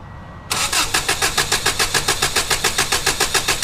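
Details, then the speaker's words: 1994 Subaru Legacy Touring wagon, EJ22T, 341k miles, never rebuilt, compression test with injectors unplugged, gauge in cylinder four plug hole: even cranking about 3.5 pulses a second, no weak strokes; still perfect compression. "okay so that's number four so after 340 1,500 miles it's still got perfect compression"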